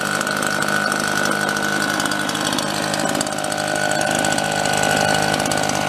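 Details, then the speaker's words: Red Max EBZ7500 commercial backpack leaf blower two-stroke after teardown and repair, run 5 to 10 minutes at idle and above: steady even buzz, constant fan roar, no knocking; normal. "seems like it's functioning like it should I I ran it I don't know 5 or 10 minutes no great long period of time let it idle a little bit up off idle for five minutes and then gave her it's staying together it's not noisy"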